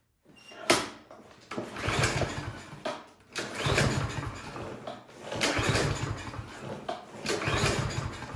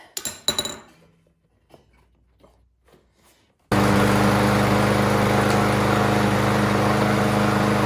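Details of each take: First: Craftsman M230 lawn mower with oil and gas present. Several pull-start cranks give only a brief churning rasp and it never catches, cranking but not starting. The cause was found to be a carburetion issue. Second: Craftsman M230 lawn mower after a no-start carburetion fix, new spark plug and full service: after some tool clinks it settles into a smooth, even, steady run with no misses or surging.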